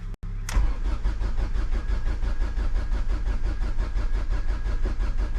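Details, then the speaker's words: Mk2 Ford Mondeo on a jump pack with a quarter tank of fuel: the starter cranks steadily but the engine never catches, and no fuel pump prime or hum is heard; owner then powers the pump directly from a battery; crank no start, no fuel pump. "I can't hear the pump there's literally no reason for the pump not to be working right now"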